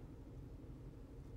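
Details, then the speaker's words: 2010 Ford Edge 3.5L AWD at 177,000 miles, found nearly out of oil, with a flashing check engine light and code P0304. Low, uneven idle with a lumpy stumble from a dead misfire on cylinder 4, which has a fresh coil. "I can fire it up oh yeah she's really not happy [Music] I don't know if that'll pick up on uh on the camera the sound of it but it is very much"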